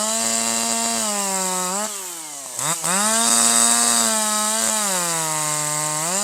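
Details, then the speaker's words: Older piston-ported chainsaw with the H screw turned another quarter turn to 1.25: revs climb crisply, holding a clean, high, steady scream in the cut, dipping and recovering smoothly with excellent throttle response; high-speed mixture correctly tuned. "This time you'll hear even higher RPM, better power, a little bit of force stroking, a little bit of force stroking out of the cut, and full smooth powerful operation in the cut. That's what you want."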